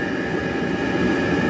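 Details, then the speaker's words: Diesel heater at a cabin, wired up temporarily to prove the concept before permanent mounting and air-duct routing, kicking out a lot of heat. It has a constant loud roar with a steady whistle on top like a small jet: normal running. "But the main thing for me today is really just to get it working and prove the concept before I start permanently mounting it and routing the air duct. But that's kicking out a lot of heat now."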